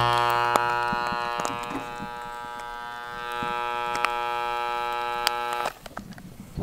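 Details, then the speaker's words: Old Milwaukee hammer drill model 5380-21 switched on: steady electrical buzz about six seconds with no spin-up, an odd smell; motor powered but stalled, owner suspects it is fried. "doesn't turn on I don't know if you can hear it it's humming kind of stinks it's probably fried"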